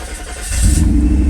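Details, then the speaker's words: 1991 Mercedes 500SL R129 after cap and rotor cleaning and cam sensor change, previously hard-starting and stalling when hot: brief crank, catches and settles to a steady smooth rumble, idle dipping slightly then recovering, no stall; normal start. "Well, that was a lot better. Just a few cranks. It's kind of coming down a little bit, but going back up there. All right, I haven't hit any gas, and it's not stalling out or even seeming like it's going to, so that's good."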